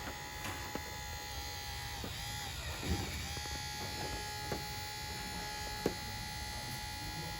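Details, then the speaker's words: AVT magnetic (bearingless) charge cooler pump for a Jaguar XFR, tested on the bench after correcting reversed wiring polarity: a steady, even high buzz with no rumble, rattle or wavering, running smoothly. "But the actual difference of the pump is massive, right? Yep. Now I know this is a magnetic pump, so there's no bearings to go wrong."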